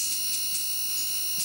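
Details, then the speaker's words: Old CRT TV converted into an oscilloscope with deflection coils swapped: constant thin high-pitched squeal of the flyback transformer singing. "okay viewers you can hear that Transformer in there squiring"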